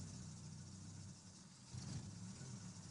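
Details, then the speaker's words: Engine that lacks power and stalls, with antifreeze disappearing and brakes leaking, runs low and lumpy like a tractor, stumbling unevenly as if one cylinder isn't firing; owner suspects trouble in the first cylinder; rough-running misfire. "Understand what kind of exhaust? It's not clear at all. Like a tractor. It feels like one pot doesn't work at all."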